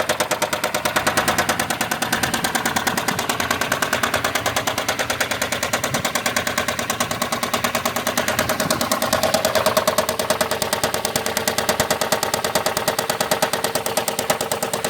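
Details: 2007 Chrysler Sebring 2.7L V6, replacement long block about 4 years and 60,000 miles old (car about 129,000 miles), oil changed every 3k: sharp steady knock at idle rising with a throttle blip; started small then grew, recent power loss and cold-start blue smoke, lower-pan source suggested, cause unconfirmed.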